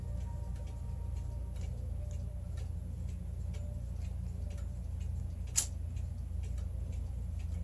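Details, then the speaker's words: German grandfather clock, 9-tubular-bell Urgo triple-chime mechanism circa 1980, uncased and test-run on a peg-board wall: crisp, even ticks about two and a half per second in a quiet room, healthy steady beat. "This is a grandfather clock, 9 tubular bell mechanism. Isn't that spectacular?"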